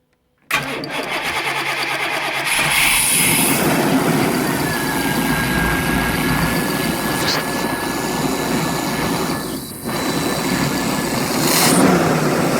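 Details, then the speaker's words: 1990 Chevy 454 with TBI: cranks briefly, catches at once, idles steadily and revs cleanly; the original belts slip, and hydrocarbons are at 300 against a 200 smog limit. "Let me start it so that you can hear what it sounds like. Seriously, she really runs good."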